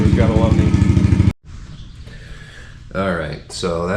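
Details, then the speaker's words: 2022 Yamaha TTR110 pit bike with full Pro Circuit exhaust, warming up after start: a quick, even single-cylinder putter at idle for a second before other noise takes over; normal idle. "that's what it sounds like uh definitely sounds amazing"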